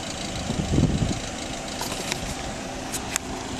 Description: This is a weird noise my passat makes when cold, like a loud turbo noise. In the end I found out it was loose bolts holding the exhaust header onto the cylinder head, causing an exhaust leak that whistled and got louder with load on the turbo (exhaust backpressure).